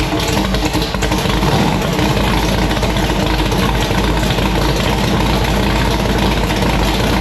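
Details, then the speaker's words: Annabelle, a V8 race car, after a torque converter replacement: starts, holds a strong steady idle and revs up cleanly; the cam behaves normally, with no knocks, ticks or other noise. Healthy engine. "It starts, it idles, the car revs up, it sounds pretty good. You know, the cam seems to be doing cam type stuff, so there's no noise."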